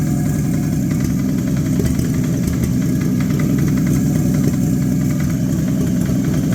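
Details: Abandoned Chevy 216 inline-six from a 1950 Chevy 1-ton truck, run on used filtered oil and after a couple of heat cycles: lumpy, chuffing idle with an uneven beat and a dull knock underneath. A miss plus bottom-end noise; cause suspected, not confirmed.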